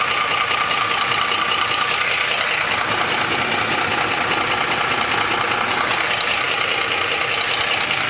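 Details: 2004 Ford F150 5.4L 3V at steady idle: fast, fairly even ticking slap, about two or three per second, as the timing chains slap the engine block from failed chain tensioners; fix was new cam phasers, timing chains and tensioners.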